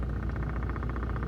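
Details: Whirlpool side-by-side refrigerator knocking: rapid, even tapping about fourteen beats a second over a low hum, cause not yet found.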